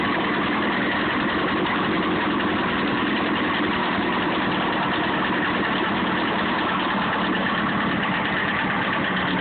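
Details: Honda CBR954 motorcycle engine at idle: a busy, rapid ticking-knocking clatter runs steadily through the sound. Owner asks what the knocking noise is.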